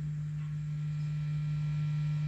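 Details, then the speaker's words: Early Bogner Überschall rev. Green guitar amp, first power-up at 120V: steady low 50/60-cycle mains hum at idle with master volume down; power tubes suspected, unconfirmed. "quite that's quite a loud hum at idle i mean i certainly heard worse but that's that is reasonably loud"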